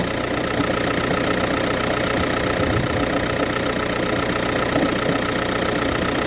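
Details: VW Touran 1.9 TDI diesel at cold-start idle, morning only, with no issues when driving or changing gears: dense clattery rattle with a loose knock about twice a second; cold start knocking at idle.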